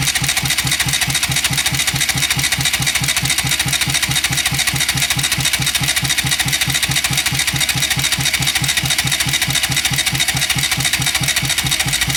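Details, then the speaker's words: Bajaj Rouser NS200 cranked with spark plugs removed to check for engine noise and oil pressure: even starter whirr, regular pulses about twice a second, no knocking or grinding; no noise, oil rises slowly but rises; normal cranking. "ruido no hace aceite tardón subir bastante para mi gusto pero sube"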